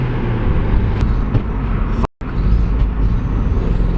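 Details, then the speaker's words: Modified Audi TT after a Lambda sensor change: loud, raspy engine note with a rough puffing edge from a bad exhaust leak near the turbo; owner fears a cracked manifold. "a really bad exhaust leak has developed you can definitely tell the exhaust leak is coming from Turbo area so I'm hoping that's not a cracked manifold"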